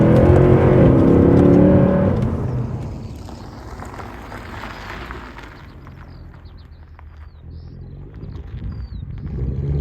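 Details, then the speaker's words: 2012 Mercedes C63 AMG W204 (M156), about 53,000 miles, after replacing power steering reservoir and flushing fluid, warm after a drive; smooth fading engine and road rumble with no pump whir or whine; normal power steering. "as you can hear, I think that whirring noise has thankfully disappeared."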